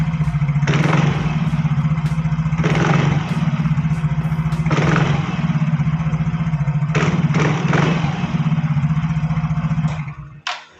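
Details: Yamaha Fino automatic scooter with take-off judder: steady idle, then each throttle blip brings a rough, gravelly rattle from the CVT area; suspected worn CVT parts such as pulley slider, bushing, case or secondary pulley bearing, unconfirmed.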